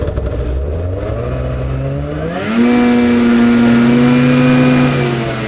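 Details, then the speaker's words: Craftsman DYT4000 jacked up in the garage and run to full throttle to see how fast it goes: it climbs quickly to a high, steady, even howl with no stumbling or dips. It pulls cleanly without bogging. "so I just wanted to figure figured I'd just Jack it up to see how fast it really went and um it went up pretty good"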